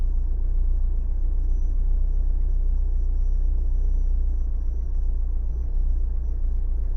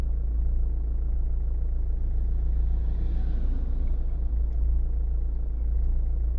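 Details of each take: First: Renault/Dacia 1.5 dCi diesel idling cold: a deep, uneven, lumpy, shaking rumble, as if running on three cylinders. A bottle test points to one faulty injector causing a cold misfire, which steadies after about five minutes of warm-up. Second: Renault/Dacia 1.5 dCi diesel after warming up: a steady, even, low idle clatter with no stumbles. The cold misfire from the faulty injector has cleared, with only a slight vibration left. Normal idle.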